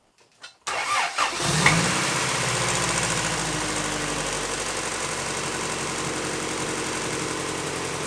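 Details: Engine just started after installing a 1320 timing belt tensioner, which replaces a factory tensioner that maxes out and allows slop. It fires quickly and settles into a steady, even idle with no slap or chatter from the belt area. Normal idle.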